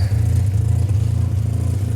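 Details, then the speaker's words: 1985 Mazda RX-7 GSL after installing a new Racing Beat exhaust, idling: deep choppy rotary idle with a raw puffing edge from a hole between the pre-silencer and connecting pipe; exhaust leak at pipe joint. "The point between the pre- silencer and the connecting pipe, there's a hole. There's an exhaust leak. You can hear it."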